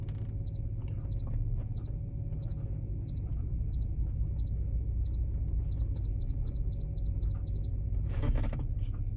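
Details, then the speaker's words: Audi TT with aftermarket four-sensor rear parking kit, beeper mounted under the insulation and mat on the loud setting: high beeps about one per second quickening to a rapid run as the obstacle nears, over engine rumble; working normally. "It's underneath my mat and everything, and it's on the loud setting, but even then, with the loud setting, it actually makes a perfectly balanced loudn"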